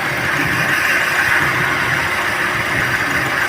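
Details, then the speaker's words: Chevrolet Sail petrol, warm, at idle: uneven, stumbling beat with the engine shaking, check engine light blinking; codes P0300 random misfire and P0302 cylinder 2 misfire, short circuit to battery. "P0300 engine misfire का पता चला, battery में short circuit और P0302 cylinder 2 misfire का पता चला, battery में short circuit."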